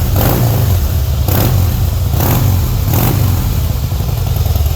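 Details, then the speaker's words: 2008 Harley-Davidson Heritage Softail Classic, stock with Screaming Eagle, 6-speed: deep loping V-twin rumble swelling with four clean throttle blips and settling back evenly; smooth, healthy engine. "Sounds like a Harley. Yeah, just very, very good quality craftsmanship. And these things, they are really good runners, boy. They are smooth."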